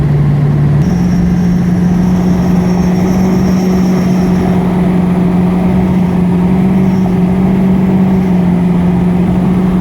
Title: Whining Noise